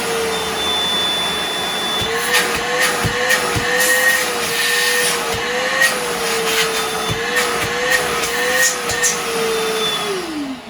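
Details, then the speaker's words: Milwaukee 0970-20 PACKOUT 2.5 gal Fuel wet/dry vacuum on battery, high mode: steady high whine with airy rush, small pitch wobbles as hose moves, then motor spins down; not too loud, great suction, running normally. "It's not too obnoxiously loud. I mean, it is a vacuum, so a vacuum is going to be a vacuum."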